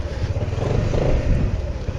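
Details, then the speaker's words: SYM Maxsym 400 scooter riding over an uneven test surface after final drive (reducer) repair reducing play, variator reassembled and oil refilled: steady low drone with no knocking from the rear drive over bumps; repair successful. "да все друзья никакого стука нет все просто превосходно"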